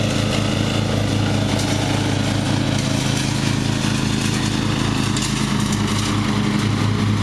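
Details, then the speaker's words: Murray riding mower, first run of the year after long storage and a mouse nest cleaned out; gas half full and not old, filter unchanged. A steady, even small-engine drone with no surging, stumbling or cut-outs; running perfectly. "It ran perfectly. Made a liar out of me."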